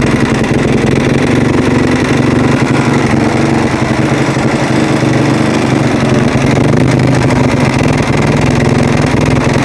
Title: husaberg - strange noise